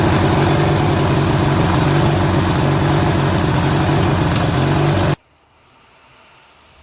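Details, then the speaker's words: Free Briggs & Stratton 16HP opposed twin on a Murray garden tractor, after freeing a stuck valve, flushing and fitting a carburetor. Loud, lumpy idle about four beats per second; it ran better with a screw held, so the carburetor needs adjusting. "how about that fellas start it up ran idle timing needs to be done a little bit you know this screw here cuz every time I held this over here it ran better"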